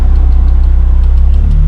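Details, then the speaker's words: Honda S2000 with K-swap and no idle air control valve, fitted with a solenoid valve to keep AC: even low idle pulses at constant rpm with AC on, no hunting or dips; engine not yet fully warm. "So there you go. My AC is on right now. RP hasn't changed. Stays consistent. Engine's happy."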